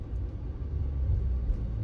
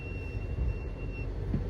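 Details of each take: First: Chrysler 300 Scat Pack swap rolling to a stop after brake pads were removed, refitted and the pins tapped in harder: low road rumble with no squeal or grind; the earlier squeal is largely gone, and the hardware is suspected as the cause. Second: Chrysler 300 Scat swap, rolling slowly: a thin, steady high-pitched brake squeal over low rumble, before the repair with the part believed to cause it.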